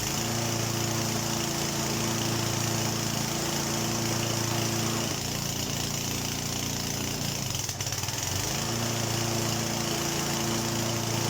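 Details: Honda HRD536 petrol lawnmower after replacing the drive clutch plate; engine runs steadily, dips briefly as load comes on, then recovers to an even run, sounding healthy. Owner notes engaging clutch plates tends to make it try to stall.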